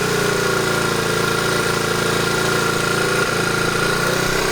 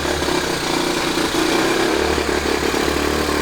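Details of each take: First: 1970 Honda Trail 90 stored 20 years, after fuel system cleaning, running a mix of new and 20-year-old gas, off choke: steady single-cylinder idle with no clattering or knocks and a little smoke, probably from old gas. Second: 1970 Honda Trail 90 stored 20 years, first run after carburetor cleaning, half choke, mix of new and 20-year-old gas: small single chugs unevenly at fast idle, no knocking or clatter; rough running, carburetor adjustment or fuel suspected.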